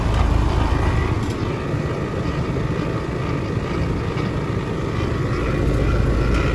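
A steady, rough low rumble from the outdoor unit with no change in pitch; the compressor sounds noisy, cause unconfirmed.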